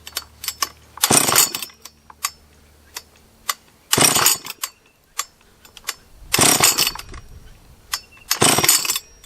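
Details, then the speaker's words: Husqvarna 44 chainsaw after rebuild, third heat cycle: fires in short ragged bursts between near-silent gaps, never holding revs when throttled; poor running under throttle, owner suspects a lower-end vacuum leak, needs teardown. "try one more time yeah it does not like any throttle"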